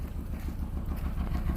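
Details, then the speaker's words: 2004/2005 PT Cruiser, previously overheating, flashing check engine light, stalls above 40 mph and won't rev past 3,000 rpm: low, uneven idle with irregular thumps and stumbles; misfire, cause not found. "you tell it's got some kind of misfire but I just cannot plan it I just cannot figure out what's wrong with this car"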